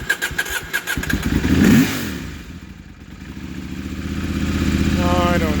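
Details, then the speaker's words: KTM 790 Adventure with recurring starting trouble, after a MAP sensor replacement and Boosterplug removal, throttle cranked during the attempt: uneven cranking chugs for nearly two seconds, then it catches and climbs to a rising idle; hard start, cause unclear. "i just cranked the throttle just now as it was trying to start and then and then it started"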